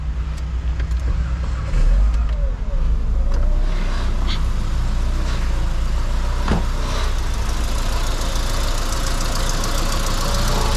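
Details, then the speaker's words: 2003 Mitsubishi Eclipse (titled Lancer) with P0300 misfire, power loss and only two of four cylinders working: after the ignition coil circuit was checked, the petrol engine starts and settles into a steady, even idle with no vibration. "ahí encendió el carro como lo podemos ver aquí ya no está vibrando ya no está esto que les diga a ti ya está bien"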